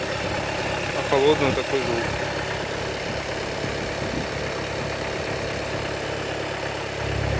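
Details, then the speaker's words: Engine previously knocking, now repaired; cold, steady, even idle with a slightly busier cold-engine note and no knocking; normal cold idle. "Никакого стука. Ничего нет. Лепота. Приятный, правильный звук работы мотора."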